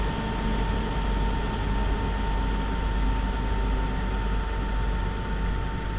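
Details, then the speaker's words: PC that shuts down on its own while browsing, editing or gaming: constant loud rushing roar with a steady whine, fan spinning very fast like a jet turbine; owner suspects dried CPU thermal paste causing overheating. "Nah, dia itu perputaran fan-nya kencang banget ya, terus suara fan-nya itu udah kayak turbin pesawat, kayak mau take off."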